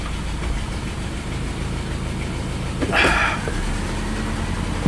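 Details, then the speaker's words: $300 Lexus LS400, new mass air flow sensor code seen: steady low idle that swells up mid-way then settles back, hunting on its own, slight smoke; surging idle. "There it goes. Starting to rev up again. This car doesn't know what it wants, guys."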